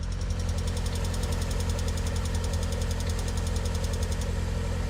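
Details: Lada Priora, VAZ-21126 engine, cold idle on frosty mornings: fast light ticking about three or four per second, fading once warm; suspected hydraulic lifter knock, unconfirmed.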